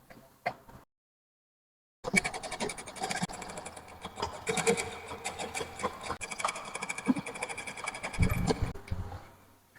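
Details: Household sewing machine running with a sharp, rapid tapping knock on every stitch from the feed dog striking the needle plate; stitching also tight and inaccurate.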